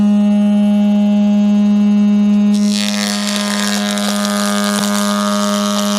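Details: Jointer with freshly sharpened knives, first cuts in about 20 years, gravity-feed chip removal with no suction; steady clean motor hum, then an even rushing cut without knocks or chatter as the board passes: normal running and cutting.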